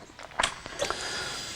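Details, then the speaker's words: Triumph water-cooled single-OHC 900/1200cc motorcycle (2016 on), after camshaft fitting and battery reconnection: a couple of clicks, then steady electric whirring hiss as the fuel pump primes with ignition cycled, purging air; normal priming. "so you just need to turn the ignition on and off a couple of times just to plane the fuel up you know you'll hear it makes a funny noise at first oil it pumps the air out of the system"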